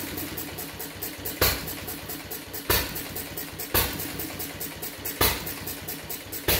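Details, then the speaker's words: Fuller and Johnson hit-and-miss engine on first run after cleanup, battery and 6-volt coil box, started with a little choke: sharp bangs about every 1.25 seconds between coasting governor clicks; owner suspects running too rich, plans checking mixer and RPM. "That's all for today. It seems like it's running awful rich. I'll see what I can do."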